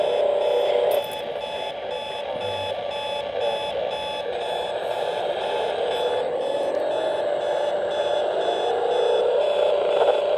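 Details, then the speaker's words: Hotel room radio alarm set to AM near an airport: steady mid-pitched tone with rapid regular beeps, three or four a second, over static; unexplained AM interference, owner suspects military jets or encoding. "It is set on AM, and we do have military jets that fly by."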